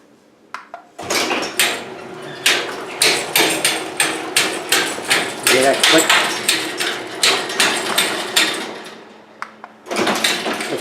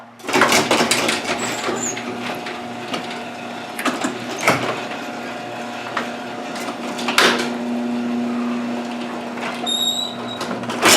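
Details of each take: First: Garage door opening with sharp, uneven clicks about three a second from a worn bearing in the 3-inch round cable pulley the cables run over; an easy repair. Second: Garage door after repair: steady low motor hum with only light clicks and rattles, fairly quiet; hardware reinstalled to stop earlier clicking, though a shot bearing with play remains on the other side.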